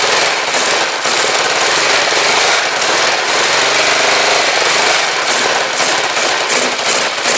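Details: Rebuilt Kawasaki GPZ500S twin in a frame, about 130 psi, restarted on fuel left in the float bowls only: fast, busy clatter at steady speed without stumbling; running properly.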